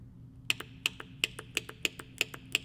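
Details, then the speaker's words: Crisp paired clicks about three a second from a Case IH 3320 sprayer AIM Command solenoid tapped with a 9V battery on pins A and B; plunger moving, solenoid good. "that's clicking that's moving your plunger in the solenoid that's telling me that that solenoid sco good"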